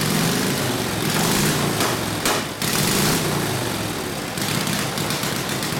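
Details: Harley WL 45ci flathead V-twin in a 1932-34 RL frame, no throttle, barely-cracked idle, already hot, no choke: loud, ragged running with uneven beats and dips, never settling; possible fuel starvation, gas perhaps not reaching the fuel line.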